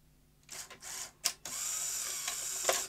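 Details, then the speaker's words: Sony SL-HF100 Beta HiFi video recorder with failing loading mechanism, top plate removed; whirring motor bursts and sharp clicks as the mechanism cycles and manages to eject the tape. "managed to eject the tape now the mechanism here we've discussed in the past a little bit complicated"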